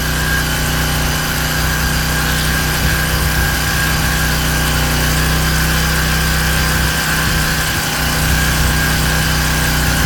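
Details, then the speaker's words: King Canada Powerforce 1500W generator, no load, governor screw adjusted to about 120 volts: steady even engine hum at one speed, no hunting or surging; normal no-load running. "110, and we're almost there. About 120. This is roughly where we want to be."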